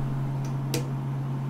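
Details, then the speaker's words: Custom Ultimaker 3D printer cooling board with two 50 mm fans wired in series: low, steady, quiet whir with no rattle or tick, measured 67 dB versus 86 dB for the squealing stock board; healthy. "oh my gosh so quiet it's like a baby sleeping you can even hear when i touch the fan it's so quiet these fans only make 67 decibels worth of noise"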